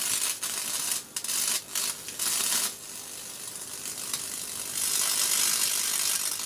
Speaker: yeah it's carbon in there shorten our capacitor yet yeah conductive effect in here that's and is salt water capacitor